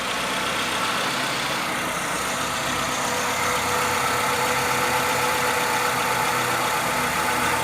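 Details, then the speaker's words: Renault Sandero with complaint of engine noise and fluctuating temperature gauge, at idle: steady, slightly raspy whirring hiss over the engine, no knock; bearing noise traced to the clutch release bearing. "ele tem uma barulho de rolamento mas é da embreagem aqui"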